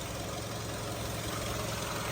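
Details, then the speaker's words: 2008 VW Golf 5 1.6 MPI petrol/LPG, 167,000 km, belt changed at 126,000, fresh January 2024 battery: smooth quiet idle on gas, soft even hum, no misfire, smoke, stumble or tapping, compression good, factory seals; normal idle. "Мотор працює тихо рівно не троїть не димить компресія есть несінить плотнитель заводський"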